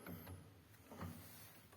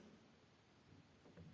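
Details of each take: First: Grand piano action, Herz-type wippens, removed from the piano: soft wooden knocks with a faint thin squeak each time the upper wippen lever moves; squeak caused by the upper repetition spring rubbing. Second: Grand piano action removed from the instrument, key and repetition lever worked after a drop of lubricant where the repetition spring rubbed the lever: soft dull thuds, squeak eliminated.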